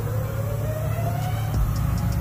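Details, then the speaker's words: Car running with AC on, AC not cooling: thin steady whistle rising slightly in pitch, something leaking underneath and AC compressor noisy; owner suspects the compressor, unconfirmed. "you can hear it yep i hear it whistling down there"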